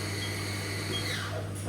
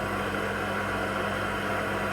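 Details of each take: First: Haas VF1 mill after gearbox rebuild, some belt noise: spindle accelerating to 3000 rpm with steady hum and brief falling whir as it shifts gear, no clash or grind; gear change healthy. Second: Haas VF1 CNC mill after spindle gearbox rebuild, low gear, spindle at 500 rpm: constant mechanical hum with steady low tone and faint gear whine; noisy gear mesh, unlike a silent VF3.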